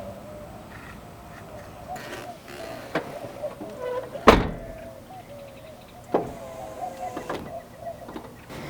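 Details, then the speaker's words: Porsche Boxster after window regulator replacement, window held up for 5 seconds at the top with the convertible top closed to reprogram the motor: faint steady motor hum with a few light clicks; normal operation. "So we're going to close the door, roll the window all the way to the top with the convertible top closed, and hold the up arrow for 5 seconds to reprogram the motor."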